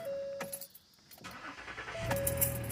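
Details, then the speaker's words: Keys rattle, then the engine catches and settles into a low, steady idle on a 2014 Ford Taurus right after replacing the fuel pump control module behind the rear passenger-side panel; it starts cleanly, fixing the crank-no-start. "all right started right up that was the problem good fix"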